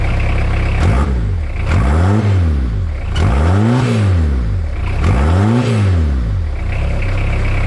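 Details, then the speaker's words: Suzuki Vitara TD diesel at first startup after gearbox install and new exhaust with welded-in hot dog muffler: steady, muted idle with slow revs rising and falling, soft even exhaust, quieter now, rolls a bit of smoke. Normal diesel idle. "It's a lot quieter now with that hot dog in it. Rolls coal a bit."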